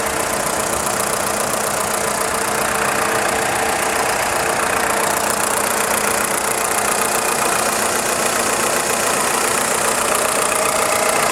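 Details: VW Polo 6N2 1.4i 16V petrol: fast, fairly regular light clacking from the engine block at idle, about four per second, stopping on acceleration; engine pulls well with strong engine braking; cause unknown.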